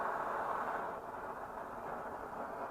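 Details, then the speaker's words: Swedish Optimus 8R camping stove after the cap seal was replaced and it was cleaned out, boiling water; steady, even hissing roar with no sputter or surging; normal burner roar, working properly. "Sucker is roaring. Called roarers because they make that noise."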